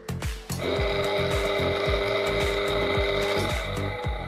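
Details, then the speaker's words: EPC Typhoon 18-inch (450 mm) four-blade industrial fan, used, running at full speed: steady hum and high whine with a rough rapid chatter underneath, quiet at slow speed; the motor bearings are worn out. "In full speed, the fan is shouting like hell. And as you can see, now it is silent. This means the bearings are garbage."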